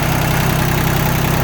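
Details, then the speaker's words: Yanmar F16D 4x4 diesel compact tractor, just started, all fluids changed with new antifreeze and oil filters: steady, even diesel idle with a regular low chug, no misses or heavy knocks, no smoke; engine sounds healthy. "Go ahead and start it up here. No smoke. Engine sounds good."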